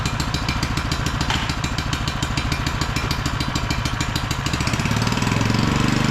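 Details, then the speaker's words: Auction-bought small single-cylinder generator, first run after adding fuel: steady, even beat settling slightly as an electrical load is plugged in; slight fuel weep from the fuel bowl; normal healthy running. "wow that good job actually sounds really good let's plug something in"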